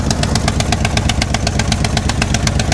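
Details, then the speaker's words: Salvage-yard Chevy square-body C-10 truck, rough V8 idle after a long sit: sharp rapid puffing ticks, about eight a second, from a massive exhaust manifold gasket leak; the exact side or port is not yet found. "While she's running, um, major exhaust air gasket leak."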